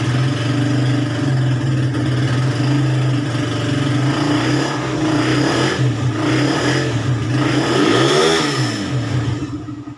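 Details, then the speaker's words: Suzuki Raider 150 single-cylinder motorcycle, cold start after head refresh and valve clearance adjustment to cure hard starting: fires up readily, holds a steady even idle, revs cleanly and drops back with no misfire; normal start and idle. "so Ayun umandar na siya So Col start so hindi naman gaano ka hard starting Okay na siya"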